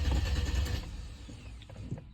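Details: Chrysler Crossfire crank no start with no trouble codes: starter spins engine briskly but it never catches or fires; fuel found water-contaminated from cheap gas; crank no start.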